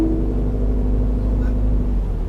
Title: Moaning Sound from Ford Focus Titanium 1.5 TDCI Video 2